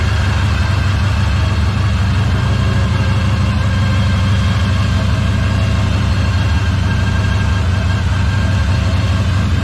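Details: 1964 Impala SS V8 after frame-off restoration and engine freshening, started cold after sitting, battery charger on, air cleaner off, timing and carburetor adjustments still unverified: deep, even idle with a steady low rumble, no knocks or misses; sounds healthy.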